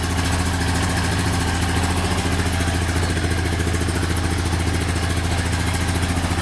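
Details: 1999 Honda Foreman 450cc 4x4 ATV with plow, fixed up, restarted on fuel reserve: steady, even low thrum with smooth regular beat, no knocks or misses; normal idle.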